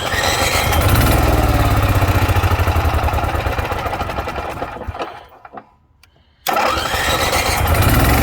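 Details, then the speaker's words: 2009 Cummins Onan 4000 RV QG generator in a Jayco Greyhawk motorhome, after fixing a no-fuel-to-carburetor no-start, with the fuel pump ground temporarily rewired: steady even beat, briefly dips, then catches and settles; running. "After about 2 hours of working on this, 2 separate days, you can hear in the background, she's running."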